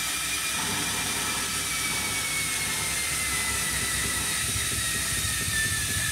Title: Hotpoint Smart Tech Washing Machine Eco Cottons Noisy Spin - #shorts